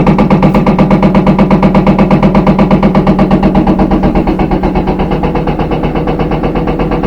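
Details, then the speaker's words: Front load washing machine in spin, shaft bouncing in the rear bearing, worse at high speed and with clothes: heavy rhythmic thumping about three a second over a droning motor hum from the back; worn rear tub bearing. "You're going to get this banging sound. You can hear the bangings coming from the back."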